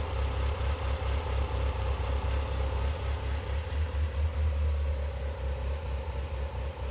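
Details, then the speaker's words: Mitsubishi Lancer Evolution 8 after new OEM engine assembly installed, idling on walk-around; steady even idle with deep smooth rumble and light cam chatter; healthy. "so here it is it is a running car so we're gonna do a little walk around and show you what it sounds like"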